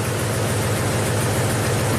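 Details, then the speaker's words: 2008 Ford F-250, 5.4L V8, 219,000 miles, running poorly since an engine swap: deep idle with a lumpy, uneven pulse where one beat keeps dropping out; scanner shows cylinder 8 misfire, with its coil connector taped up and loose. "see that on the scanner number eight cylinders misfire"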